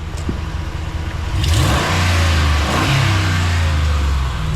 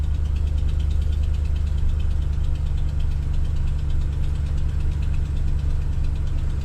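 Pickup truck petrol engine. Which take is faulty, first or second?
second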